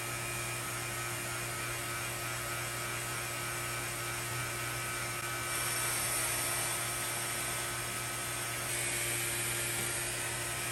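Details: C7 Corvette Z06 intercooler bleeding with a Cooler Bleeder on a Robinair vacuum pump: steady electric hum with a constant whine on top, no knocks or rattles, level stays even; pump running normally.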